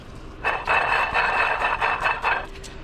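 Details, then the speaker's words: 2016 Lexus RC300 water pump removed, turned by hand: rough gritty grinding with faint squeal in uneven bursts from a failed bearing after coolant leaked from the weep hole; customer complained of belt squeak and grinding noise. "a good pump, bad bearing. What they'll typically do is they'll leak out the weep hole and get coolant into the bearing and such, and cause us a nasty grumble, because bearings and coolant don't like to mix."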